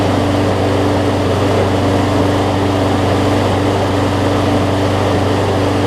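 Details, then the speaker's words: Roughly 15-year-old John Deere JA62 self-propelled push mower with a Briggs OHV Quantum-style engine, after a carb clean for gummed fuel: a steady, even drone with only a faint rise and fall of slight surge. Normal running. "you'll hear it surge up and down just a little bit but honestly it's probably the best overhead valve briggs quantum style that i've had in terms of it not surging as much"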